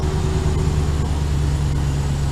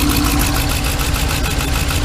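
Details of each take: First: 2015 Ram 3500 5.7 Hemi idling after repairing a rodent-chewed injector harness behind the cylinder 5 misfire; steady, even low rumble with no stumble or skipped beats. Every cylinder firing, no misfire. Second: 2015 Ram 3500 with 5.7 Hemi, misfire code on cylinder 5 (driver's side bank). Loud, uneven stumbling idle with no steady rhythm; rodent-chewed injector connector and wiring being traced and rewired; engine misfire at idle.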